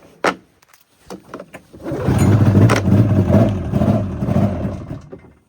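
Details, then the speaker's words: 1999 Arctic Cat ZRT 600 triple two-stroke snowmobile, sitting for over 20 years, with the drive belt just fitted: it starts with a pop, then runs unevenly with low, lumpy pulsing that sags and wants to die under belt load. Engine bogging under load. "Well, with the belt on, it seems to want to die."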